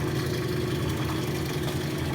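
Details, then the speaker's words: Rotary vane vacuum pump, retrofitted with KF25 fittings and overfilled with oil, pulling down a neon processing manifold: even, steady low hum with a smooth drone on top, no knocks or surging; normal running under load. "but it's going. sucking down a vacuum."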